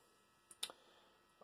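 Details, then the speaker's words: Panasonic NN-A574 combination microwave, grill not heating: sharp clicks of the control-panel relay switching the heater on and off, but a meter shows its contacts stay open. "so I was on and off and I could hear the relay ticking so I put the meter across the relay contact and the contacts were open"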